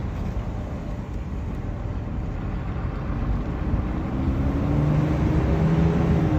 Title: 2022 ram 2500 weird noise